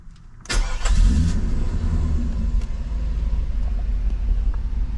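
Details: 1991 Mercedes 500SL, 39,000 miles, recurring high idle after two new idle control valves, warm at about 82°C: quick crank and catch, then low even idle without surging; sounds right, fix believed successful.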